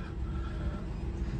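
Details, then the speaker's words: 1960 Rambler Super with the 196 cu in overhead-valve straight six and a three-speed column manual. A low, even, soft rumble with no knocks, misses or ticks. Normal, quiet idle. "you don't even hear it running I'm going to open the hood the car is running you wouldn't know it"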